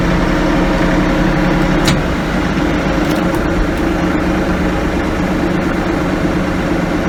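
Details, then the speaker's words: New Kioti CK3510 cab tractor, warm diesel on an ~84°F day, idling around 1,000 rpm: steady, even beat with no knocks or misses; normal, healthy idle. "about where she idles, 1,000 RPM."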